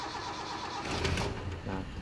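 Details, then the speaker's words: Toyota 5K engine after a tune-up (valve clearance, ignition, spark plugs, carburetor repair), throttle cable not yet attached: the starter churns steadily for a long time before the engine finally catches and picks up. "di puter-puter ya jadi startnya agak kepanjangan gitu"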